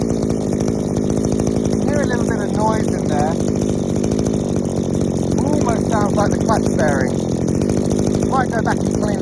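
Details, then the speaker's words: Two-stroke strimmer after warm-up, held at speed. Soft, burbling, slightly uneven note instead of a clean scream. The high-speed mixture screw is set way too rich. "uh so a couple of things way too rich on the high so screw beforehand it was a bit too rich"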